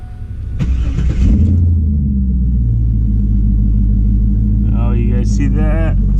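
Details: Engine after reinstalling intake manifold, throttle body and throttle cables, battery reconnected: cranks briefly, catches and settles into steady, even low rumble with no knocks or misses; runs healthy with oil pressure.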